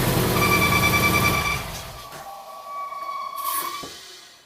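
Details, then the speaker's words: Supercharged Subaru Outback EJ25 DOHC started after filling with break-in oil: sharp steady high-pitched squeal over engine after startup, then dies off; air conditioning compressor belt found overlapping its pulley. "The last time I had the car running, I started it up right after replacing the oil pan and it squealed like a banshee."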